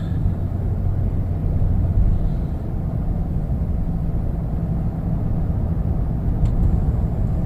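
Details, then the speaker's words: Chevrolet Trailblazer with 4L60E transmission and PWM delete, after fixing P02764, no-overdrive and limp mode: pulling away from a stop, steady engine drone with smooth shifts through first to fourth, no flare or bang; overdrive/lockup near 50-55 mph. "there's fourth gear. And once we get some speed up here, we'll hit overdrive or lockup, if you will."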